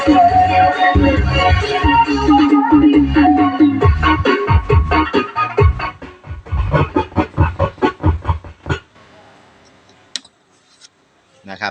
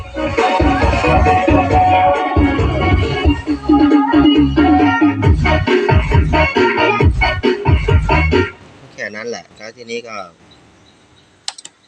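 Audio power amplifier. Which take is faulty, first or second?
first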